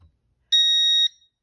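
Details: Home alarm keypad gives one clean high-pitched beep, just over half a second; after a power outage it beeped five times every minute, silenced by pressing the star button.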